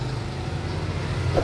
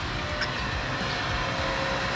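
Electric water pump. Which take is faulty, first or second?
first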